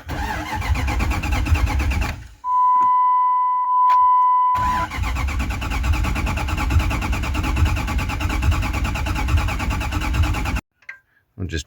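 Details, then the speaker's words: 1998 Jeep Grand Cherokee 5.9 Limited after sitting about five years, tank near empty; starter spins the engine evenly about three beats a second but it never fires; only air at fuel rail, no fuel pressure. "and see if we're getting fuel here. A whole lot of air. There'd be gas coming out if there was."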